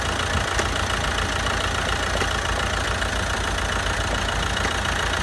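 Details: Opel Corsa D 1.7 CDTI diesel at start-up idle with a fast, loosely regular metallic ball-bearing-like knock over low engine rumble; cause unconfirmed.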